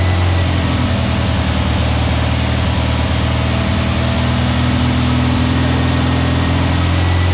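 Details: New VW Beetle 1679cc single-port flat-four, Scat C25 cam, dual Empi ITC carbs, first fire-up during 20-minute cam break-in: steady smooth fast idle, even low pulses, no knocks or ticks; timing spot on, no leaks, carbs still need tuning; normal running.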